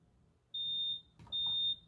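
Two short, high-pitched beeps about half a second each come out thin and quiet, so the smoke alarm sounder is too weak.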